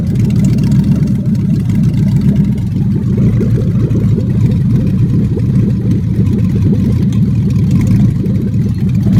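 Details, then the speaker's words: Ford 4.6 V8 in BMW swap, started on the ground with no MAF, no cats, open headers, Mustang manual trans: loud, lumpy, uneven exhaust beat at fast idle; rough running, suspected from missing MAF. "It's gonna run a little rough because we have no MAF. I got one wire in for that, and we have no cats, open headers, but"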